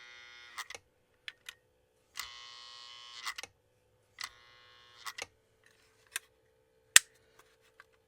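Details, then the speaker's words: Lionel postwar #57 AEC diesel switcher, bought as not working, on a test transformer: the E-unit buzzes in short bursts over a faint hum with no motor running, seemingly stuck in neutral; owner suspects the E-unit roller isn't turning. "sounds like it's just stuck in neutral okay nothing's happening there okay uh preliminary I'm going to say it's probably the e unit that roller is not not turning inside the eunit"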